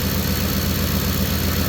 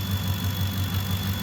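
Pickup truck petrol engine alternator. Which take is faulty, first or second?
second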